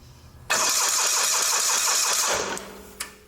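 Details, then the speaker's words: Old Simplicity garden tractor with Onan CCKA engine: the starter cranks with even compression pulses but never fires despite good spark. "it's cranking over so let's check and see if it's got fire"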